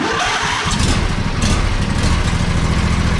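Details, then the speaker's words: John Deere 145 with a Briggs & Stratton Intek V-twin, started on choke after a valve adjustment and a new battery that cured the weak starting. Brief cranking, then it catches quickly and settles into an even idle with no misses. Normal start and idle. "runs great spins fast everything is good so the valve adjustment and also a new battery"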